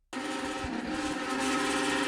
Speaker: so really the only two issues you come across with bathroom exhaust fans is either one they're not working at all or two they're super noisy